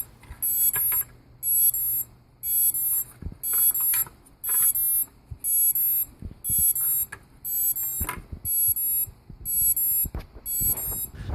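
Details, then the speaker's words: Hubsan H501S quadcopter after a hard crash: shrill beeping bursts that change as a motor is turned; one motor fails to start, motor connector module pulled off the power board. "as I turn this motor in here you'll notice it makes the beeping noise change a little bit and that will tell ya that there's something wrong between that motor in the powder Ford"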